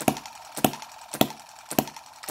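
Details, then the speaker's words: Microcosm M17 1.6cc hit-and-miss model engine after richening the mixture: sharp evenly spaced firing pops roughly every 0.6 s with quiet gaps; running rich, owner fears it may die from over-richness as before. "riched it up quite a bit you can hear quite a difference but I'm wondering if it will go um you know die from over richness like it was before..."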